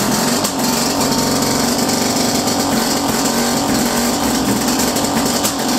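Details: First start in a while of a 1929 Lockwood Racing Chief outboard, single carb, 1928 lower unit, muffler that looks welded and cut: steady, high-pitched rapid buzz with even rhythm, no misses or knocks; running cleanly.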